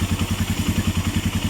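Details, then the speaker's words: Suzuki Mola/GS 125-150 single after DIY tune-up, valves set 0.04 intake, 0.08 exhaust: steady even putter about eight pulses a second, quiet, previous ticking gone — normal idle. "Ganda ng under, oh. Tahimik na, nawala na yung kanyang lagitik."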